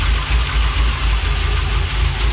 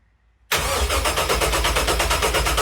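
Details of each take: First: Freshly rebuilt LS1 V8 with very choppy Crow cam in a 1978 C3 Corvette swap, idling after first start: deep loping idle with steady choppy rhythm and even low rumble; normal big-cam idle. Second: First start attempt of a freshly rebuilt LS1 (Crow cam, new pistons and rings) from a 2001 Holden SS Commodore, swapped into a 1978 Corvette. Even cranking at about three beats per second but it never fires: the crank sensor plug was on the wrong sensor, so the PCM got no crank signal.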